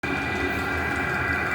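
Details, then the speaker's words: New diesel heater on first firing, not yet set up, sitting in a pail with hot exhaust pipe: steady even whir with constant high whistle over soft rumble, no surging or popping; running normally. "hello everybody the noise you hear is the diesel heater now it's nowhere near set up the way I want it"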